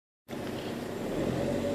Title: 1.9 TDI (ARL) Turbo failure? (loud whine!!!)